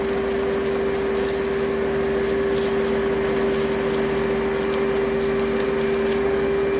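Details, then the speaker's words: Advance Spectrum 12P vacuum, thrift store find, running after repair: steady motor roar with a fixed mid-pitched whine throughout. Owner first thought motor bearings, now suspects the clutch assembly; not confirmed. "you know i'm kind of wondering if that noise is the uh the clutch assembly because just out of curiosity i turned it off after the airflow box and it seems like the noise was coming from right around here somewhere"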